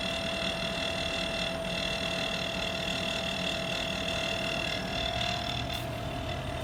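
Steady fan and compressor hum with a constant mid-pitched whine and a thin high hiss on top; something in the outdoor unit is off.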